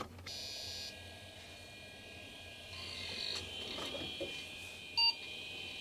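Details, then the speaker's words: Old 80s/90s PC motherboard from a mystery parts box boots MS-DOS from its built-in floppy drive: steady high drive whine, quick head-seek chirps and a short beep, reading cleanly and booting normally. "yes starting msos obviously that was it well that makes it easier to test the stuff I actually I wanted to test"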